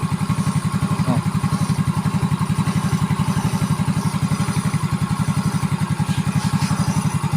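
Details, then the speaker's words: Yamaha Mio J scooter after rebuild with aftermarket RKN cylinder block (previously rough, knocking, smoky, oil-burning engine, suspected piston): steady, even low putter at idle with no knocks or rattles; normal smooth idle. "Nih suaranya jos banget kan mantap"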